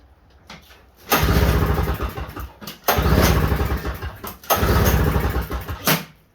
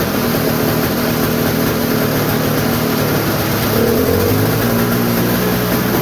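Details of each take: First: Snowblower sitting about a year, cold start at 33°F with starting fluid sprayed into intake: three cranking bursts, each catching with a rough sputter then dying; engine fails to keep running on starting fluid. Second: Toro snowblower sitting about a year, cold start: steady two-stroke buzz at an even speed with no misses, surging or knocks; normal running.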